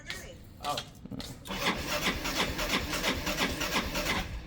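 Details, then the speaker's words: Motorcycle that won't start in the morning, battery 12.18 V at rest dropping to about 9.8 V while cranking; slow, labored cranking about three turns a second that never catches: weak battery needing replacement. "Ayaw niya mga pre. Ayan oh. Napansin niyo umaabot siya ng 9 vols. 9.8 9.80 something."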